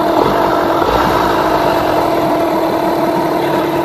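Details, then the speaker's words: Yamaha 15hp two-stroke outboard with rebuilt power head, during carburettor tuning after a rev: fast, buzzy idle holding steady with a crisp rattle; idle speed a bit too high, so the idle speed screw is backed off. "As you can hear, it's sort of starting to drop down a bit. So, pick it up a slight amount. It's a bit too high. Drop it down."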